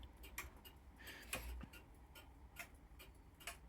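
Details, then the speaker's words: Grandfather clock, serviced two years ago, that stops after a minute or two: a faint, even tick-tock with equal gaps. It is in beat, so no crutch bending is needed, and the cause of stopping remains unknown. "You can bend the clutch here, either one way or the other, to put it back into beat. But that was okay, so I was still confused as to why it would stop ticking."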